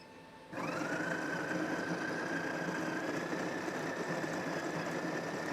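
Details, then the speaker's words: Smeg super-automatic espresso machine brewing an espresso while its volume is being programmed: low, steady hum with a faint high whine, even with no rattle or strain; brewing normally and quietly. "And I really like how nice and quiet this is."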